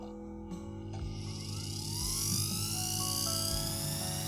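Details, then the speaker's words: Vevor S-R hanging flex shaft carving tool, 0–18000 rpm, running forward: clean electric whine climbing as it spins up, then holding smooth and even with no rattle; normal, though forward sounds very different from reverse. "The forward and reverse direction of the motor sound incredibly different."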